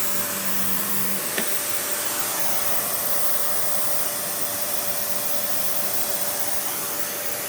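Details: Panasonic upright, one of the last sold in the US, base plate refitted, bare-floor switch, auto height adjustment, brush roll auto-stops when upright: smooth constant high airy whoosh with faint steady tone, no rattles or dips; running well.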